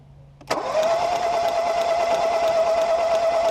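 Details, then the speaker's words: 2018 Ford Focus SE parts car, sat a few weeks and reportedly had water in a cylinder; with spark plugs out, starter spins fast and even with no compression pulses as water shoots out of the cylinder, so the engine is not seized. "well they're right about watering the cylinders bunch of it shot out soaked the camera so I guess that's good"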